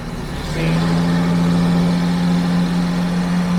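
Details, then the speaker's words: 1974 Jaguar XJ12 carbureted V12, sat six years; revving with slightly uneven lumpy note smoothing as revs climb, fuel smell, exhaust leak; suspected fouled plugs and carb adjustment. "See, it is running a little bit unevenly. It smells a little bit fuely as well."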